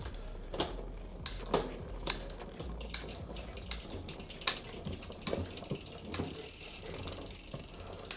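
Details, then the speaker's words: Whyte full-suspension MTB on stand during service, cranks turned: uneven clicking chatter and rubbing from bone-dry chain, too much rear derailleur cable tension and B-tension rubbing; needs backing off. "the tension looks wrong bone dry too much cable tension you can hear that b tension rubbing on there needs to come back a bit"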